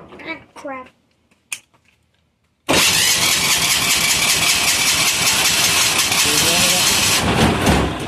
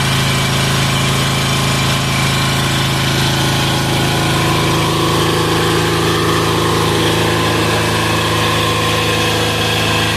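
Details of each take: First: Amazon 186FA single-cylinder diesel on filtered waste vegetable oil, previously run out of fuel, likely air pocket in the system: slow to catch after cranking, then fires into loud rapid diesel clatter. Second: 186FA single-cylinder diesel running on waste vegetable oil filtered to half a micron, after purging an air pocket: steady, even thump at idle with no knocks or stumbles, good throttle response; running cleanly.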